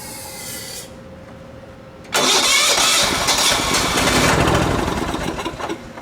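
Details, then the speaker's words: Quiet, then four seconds of steady starter cranking that never catches on a 1980s John Deere RX95 mower's Kawasaki FV460V engine; fuel shutoff valve was off and fuel line unhooked from the rebuilt carburetor. "usually helps if when you turn the the fuel valve on that you actually have the fuel line hooked up to the carb laughs"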